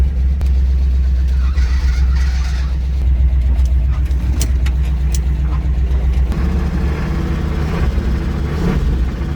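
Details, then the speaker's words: Old vehicle with weak brakes driven a short way: a steady low engine drone with an uneven, loose knocking rattle underneath, about four per second. Unclear whether it is an engine knock or a loose-part rattle. "I don't know if that's a knock or a rattle or it doesn't sound good."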